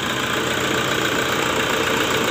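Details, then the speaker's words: Toyota Fortuner diesel after EGR and intake parts replaced, dirty fuel filter replaced and oil changed (complaint was power loss and black smoke): freshly started, even steady idle with uniform hum, very smooth vibration, no misses or knocks. "untuk getarannya ini lembut sekali ya sampai tidak terlihat mesinnya goyang atau tidak kecoanya halus ya"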